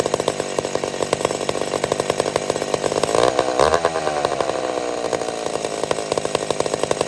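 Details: McCulloch Super Pro 70 chainsaw: strong steady two-stroke buzz dips briefly under load and recovers cleanly, no surging. Normal running; owner suspects it's a tad lean and plans to richen it.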